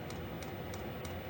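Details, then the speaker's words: Diesel heater in a non-insulated two-man ice hut, about -5 outside, just turned up to level 6: crisp, evenly spaced fuel pump ticks about three per second over a low hum, pulsing steadily at high output. "So that will heat up. You can hear the fuel pump heating up quite a bit."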